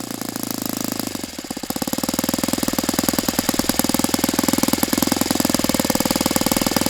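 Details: Saito FA-82a four-stroke glow engine after spring replacement, timing, valve lash and springs confirmed good, plug swapped to O.S. F: rapid steady full-throttle popping plateaus low, never reaching ~9,000 RPM expected on what is probably a 14x6 prop; cause unknown.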